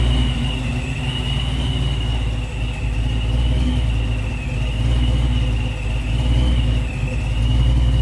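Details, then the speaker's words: Supercharged 306 Fox-body Mustang with new Anderson N51HR cam: lumpy big-cam idle with speed drifting slightly up and down; idle hunting, needs tuning, though hitting harder than before. "needs to be tweaked on it right now you can hear it slightly kind of up and down but it's definitely hitting harder than it was for sure"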